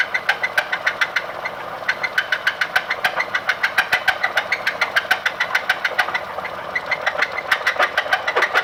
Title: Escape knock and spun bearing